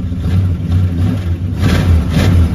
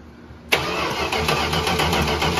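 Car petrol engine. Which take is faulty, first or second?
second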